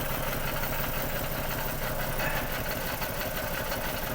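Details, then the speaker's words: Misfire on two cylinders, number three and number six, in an 8-year paddock-stored Ford BA Falcon XR6 with 390,167 km; lumpy, uneven stumbling idle heard while coils are pulled one at a time. "number three's got an issue numbers broads okay ish number six"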